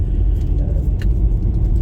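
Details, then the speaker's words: Audi A4 B6 Avant, over 20 years old, driving about 300 miles after repair. There is even road and engine rumble with no more rear knocking; the owner notes a slight whine on acceleration, possibly gearbox-related. "I've got quite a few miles under it got a good 300 miles behind it um strove fine no more knocking in the back as you can probably hear"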